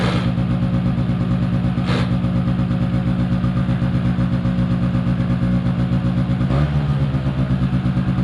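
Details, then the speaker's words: 2005 Polaris Predator 90 small two-stroke quad, long-sat, new battery. Carb retuned and air screw adjusted; brake clean sprayed around the carb gave no change. Fast steady buzzing idle never drops back; high idle hanging, cause unconfirmed. "I gave it a quick rinse with the water hose, and I did tune up the carburetor a little bit more because I believe the last time it ran for y'all, it was high idle was hanging."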